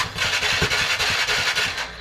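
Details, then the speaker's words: TVS Ntorq BS6 scooter after repair of a tak-tak engine noise traced to the magnet side: starter catches quickly and idle settles into an even, steady beat with no tapping or knock; normal start and idle. "देखिए अभी देखिए कितना smoothly sound है कुछ भी problem नहीं है अभी गाड़ी में कुछ भी प्रॉब्लम नहीं है"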